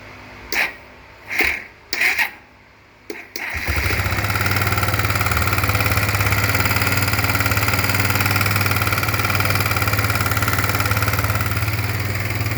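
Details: Kawasaki Bayou 250 ATV single-cylinder idling after cranking with a loose, uneven deep knock about four taps per second; valves and cam chain tension checked fine, not carbon; owner suspects worn piston wrist pin or bushing, unconfirmed.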